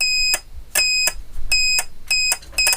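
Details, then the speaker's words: Relay test with a battery across the coil and a multimeter on the contact pins: the relay clicks and clear high continuity beeps come in short bursts each time the coil is energised, so the relay contacts close normally. "Matter करता हूं तो relay ticket की आवाज आ रही आपको सुनाई दे रही cutter से रिलेबलिंग कर रही है"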